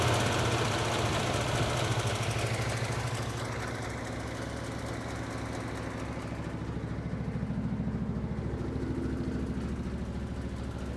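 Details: Engine with backfiring and a known cylinder 6 problem, warm idle with all plug wires connected: steady but uneven beat of about 200 pulses a minute with occasional stumbles; rough idle with backfiring, one cylinder misbehaving.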